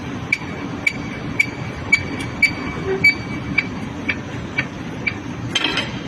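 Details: Hyundai HB20 front suspension being worked: sharp metallic clicks about twice a second; knock from a worn front ball joint.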